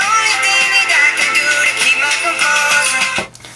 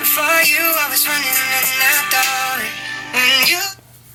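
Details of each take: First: iPhone after repair with replacement speaker taken from a donor white iPhone, tested before final screws; music plays clean and clear with no buzz on bass hits, speaker working properly. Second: iPhone 6s (bought new 2015) playing music through its speaker before repair; harsh papery buzz on every note, speaker sounds blown, speakerphone calls nearly unintelligible.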